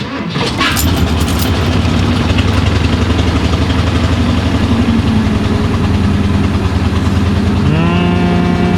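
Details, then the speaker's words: 1991 Ford F-150, 5.8 L V8, under 100k miles, first start after sitting 8 years, helped by starting fluid: catches after a brief crank into a lumpy, uneven idle, with oil smoke burning off; owner unsure but thinks it runs better; rough idle. "I'll be honest I'm kind of not sure I think it's running better"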